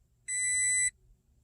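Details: 2016 Toyota Tacoma push-button start, no-start morning: high clean half-second beeps repeating about every second, the warning that the key fob isn't detected; the cause was a dead fob battery.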